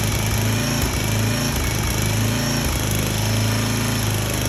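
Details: Small single-cylinder engine on a 34-ton log splitter, bought cheap and said to be locked up, restarted after the degraded hydraulic return line was reattached; it chugs at a fairly steady speed with slight pitch wander and keeps running normally.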